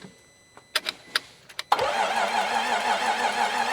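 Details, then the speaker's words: 2018 Range Rover Velar bought at auction, crank no-start after the battery died, with a weak battery and fuel rail around 3400: clicks, then uneven, lurching cranking cadence with no firing. Valve timing is incorrect. "You can hear it's not doesn't sound right. >> It doesn't sound right. Right. Yeah. Yeah. the the the cadence doesn't sound does not sound um doesn't sound consistent."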